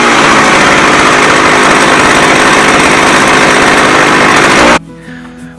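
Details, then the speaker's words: McCulloch 610 chainsaw after carburetor cleaning, high and low screws at half a turn, choke pulled: loud crisp high-rev two-stroke scream holding steady without bogging for several seconds, then cuts off; runs cleanly. "oh wow she runs like a champ"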